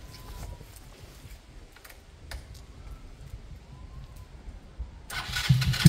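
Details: KSR GRS 125 single, after fitting a new spark plug with good compression and fuel: quiet ticking, then it fires and settles into a quick, even patter before the airbox goes back on; starts and runs cleanly.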